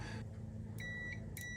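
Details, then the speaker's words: 1999 Ducati 900 SS IE with starter not engaging: multimeter on ohms checking continuity of wiring down to the plug pins; two short clean high beeps, buzzer working, good connection. "So what we're doing is testing connectivity to make sure that there's no broken wires from here right down through to the plug."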